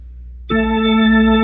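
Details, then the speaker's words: Hammond B3 MK1 organ after busbar cleaning and pedal rubber contact replacement: a slowly pressed key speaks instantly with a steady, clean tone, no crackle or delay. "just comes right on just like that."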